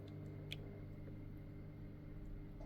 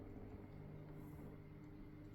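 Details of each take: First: Weipro TC-900C 600L/H internal aquarium filter pump running: only a soft, steady low hum. Earlier vibration came from a touching part and stopped when it was moved; the motor itself makes no noise. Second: Weipro TC-900C 600 L/h internal aquarium filter running: low steady hum with a faint buzz, caused by the pump vibrating against what it touches; the noise goes away when it is moved off, and the motor itself is silent.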